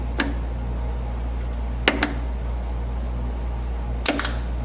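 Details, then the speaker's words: 1979 Chevy G20 van, fuel tank selector valve switched between rear and side tanks, both holding bad gas: crisp single clicks over a steady low hum. Valve works normally; the dash switch probably needs replacing. "If I activate the switch, you hear it click."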